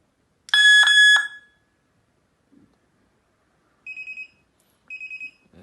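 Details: Armed solar wireless siren with infrared beam sensors triggered: a loud shrill siren blast for about a second, then two short bursts of rapid chirps, sounding an alarm.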